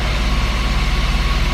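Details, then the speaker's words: Steady, even low idle with no hunting or miss: BMW E34 525 M50 six-cylinder after replacing the clogged idle control valve, following a blower motor fire restoration; runs normally. "And that is a normally idling M50. Woo! Look at this bad boy, man. This thing runs like a top."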